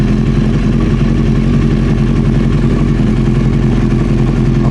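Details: Old Honda CBR900 Fireblade idling with the fuel tap off, waiting for reported backfiring: steady, even idle with a firm low thrum, no stumbling or dropouts; running cleanly.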